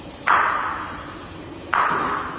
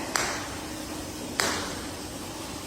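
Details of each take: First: Golf ball tap test on tile during final inspection of a new-build home; two sharp taps, each ringing with a hollow, drawn-out rattle instead of a solid click; tile not bonded, hollow-sounding, needs to be fixed. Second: Golf ball tap test on tile during final inspection of a new-build home; three sharp, bright ticks with a firm, solid ring and no hollow rattle; how the tile should sound, solidly bonded.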